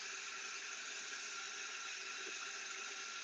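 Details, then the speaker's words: Success AT-407N acoustic water leak detector with ground microphone (silicone skirt) at high sensitivity. The water is turned on and the signal reads 100, full on both lines, against about 7–8 for silence. A constant, even hiss with no rhythm or rumble: water flowing in the pipe, the same noise a leak makes. "And now we can see that the signal is 100 full on both lines. It means that the water is running and we can hear it."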